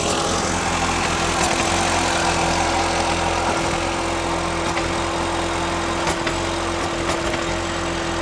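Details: 2000 Audi TT Quattro started after long storage, gauge claims full tank and warm: steady idle with occasional stumbles and irregular pops, smelly exhaust; rough idle, owner hopes it is old fuel and it improves.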